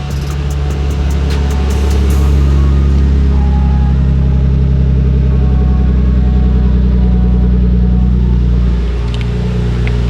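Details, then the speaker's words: Nissan Skyline R34 after replacing the misfiring coil pack with an OEM unit, on start-up: deep, smooth idle settling after a brief rev, firing evenly with no stumble or skip; misfire fixed. "Let's Go oh it's working guys oh yes it sounds so good"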